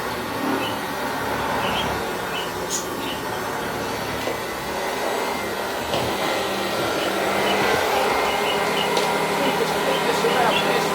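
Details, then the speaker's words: Hoover Junior 375 upright, 1950s–60s, stored in a loft for decades, after a bag cleanout, new belt, brush roll bearings and new brushes: an even motor whine with steady brushing over carpet, no labouring. It operates normally. "That means that we can actually do some vacuuming with it. See if it can clean up its own mess."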